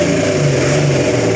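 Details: Hino EM100 diesel engine started after sitting unused for about three to four years: a steady, deep even hum with a brief lift in pitch when revved, no knocking or missing. Normal engine running.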